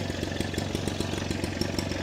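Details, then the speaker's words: Kasei fertilizer blower two-stroke engine running on 2T-petrol mix after fixing a no-start by freeing a stuck carburetor float needle: fast, even buzz with steady firing pulses, no stumbles or surging; runs cleanly. "สตาร์ทติดเรียบร้อยแล้วนะครับนี่ก็คือวิธีการแก้ไขนะครับ"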